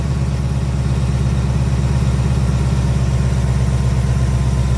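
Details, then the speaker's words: 2019 Ford Mustang GT PP1 V8 at about 5,000 miles, cold start: steady, deep idle with even low rumble and no tick; owner had heard a tick near driver's side wheel well about 900 miles before first oil change, gone now. "if you listen there, there's no tick. So, to be honest with you though, there's no tick now."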